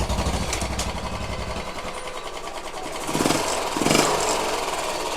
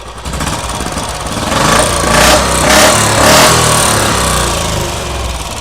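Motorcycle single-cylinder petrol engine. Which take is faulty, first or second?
first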